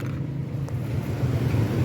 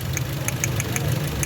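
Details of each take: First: Toyota GLI after repair of no-start, a fuse blown by a short from an over-tightened part replaced: low, steady rumble holding even pace without stumbling; RPM needle stable, running normally. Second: Toyota GLI engine misfire: uneven idle with irregular sharp ticks over lumpy low rumble, beats dropping out; a cylinder misfiring, no misfire code shown, plugs and numbered coils to be checked per cylinder.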